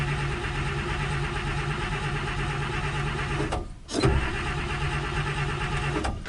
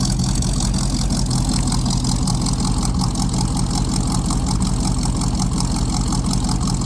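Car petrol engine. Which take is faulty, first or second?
first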